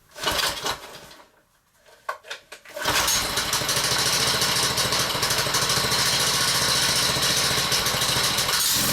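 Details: Honda-engined whacker plate on a cushion, air filter badly clogged, ticking over with centrifugal clutch fitted: fast tickover with light metallic tinkling; clutch loose on the engine shaft with a worn woodruff key.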